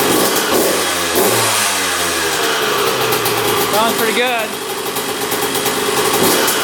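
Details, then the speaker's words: 2001 Honda CR125 two-stroke dirt bike, started after fix-up, choked: crisp crackle idling then revving cleanly up and down without bogging; running pretty darn good, normal. "Well, running pretty darn good."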